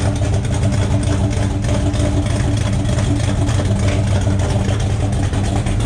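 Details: 1972 Buick Skylark with a freshly installed 427 V8 on first fire for break-in, rocker straightened and timing checked: smooth, even idle with a steady low rumble, no ticking or knocking from the valvetrain; exhaust has an open O2 sensor hole.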